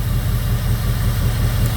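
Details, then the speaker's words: 2002 Jeep Grand Cherokee 4.7 HO with a coil-melting misfire problem: unplugging coil 3 changes nothing. Low, uneven lumpy idle with a hollow exhaust miss. Misfire from dead ignition coil 3. "Coil 3 seems to be dead. So, and you can hear it in the exhaust. You can hear that miss. So coil 3 is completely doing nothing."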